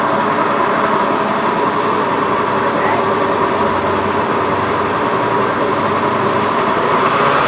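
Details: Honda Beat FI eSP eco scooter with a rough, coarse-sounding engine, cause being analysed: steady, coarse, raspy idle with an uneven grainy edge instead of a smooth hum; running rough, cause not yet known.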